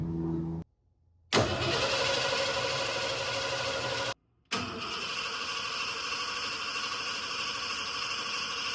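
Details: 1988 Ford F150 XLT Lariat 2WD after a fuel tank replacement: the starter spins the engine evenly, about three turns a second, but it never catches. It sounded fuel-starved though the in-tank pump delivered fuel; later traced to a worn ignition switch cutting the fuel pump.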